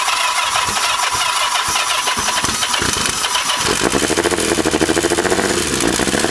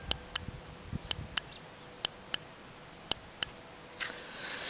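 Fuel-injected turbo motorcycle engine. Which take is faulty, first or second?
first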